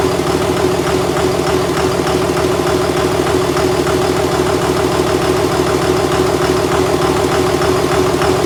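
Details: 2001 Cummins dually rebuilt on a 56 block after cracked 53 block, first evening run after fixing an unplugged ground ("no bus" fault): even steady diesel idle clatter, regular firing, no misses or knocks; sounds good.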